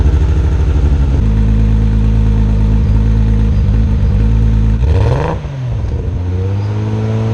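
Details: R32 Skyline GTR after a fuel pump connection fix, plugs looked fine: uneven chugging note with a stumbling beat that dips and recovers on the rev. Misfire under throttle; owner suspects the tune, unconfirmed.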